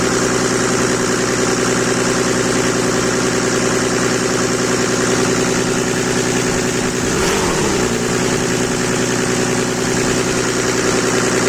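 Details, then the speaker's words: Mercedes W124 with OM606 diesel build: engine holds a steady elevated speed with an even drone without dropping toward idle; hanging at high revs or possibly running away, cause unknown. "That sounded like it was running away, or it was holding that high rev."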